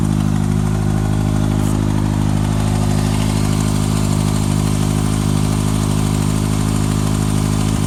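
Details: 2014 Kawasaki ZX-6R ABS, 8000 km, last service at 5,500 km, Graves slip-on exhaust: steady even inline-four idle with a faint light tick; source unknown.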